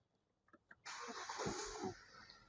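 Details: Hyundai car with rat-chewed wiring repaired and ignition coil cables refitted in correct order after misfire: quick crank, then the engine catches cleanly and runs smoothly with no stumble or misfire; misfire resolved.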